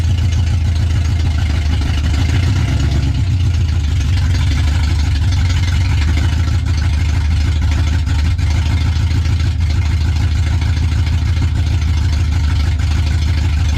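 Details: Older Chevy truck started and eased backward about 40 feet under its own power for first time, cooling well; deep steady even rumble, no knocks or misses — normal running.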